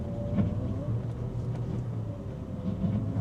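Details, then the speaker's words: Audi R8 V10 creeping slowly on full lock: low droning groan as it comes off lock; plated rear limited-slip differential plates, fix is fresh fluid and getting the car hot. "And um so the second you start to come off lock, look, it goes."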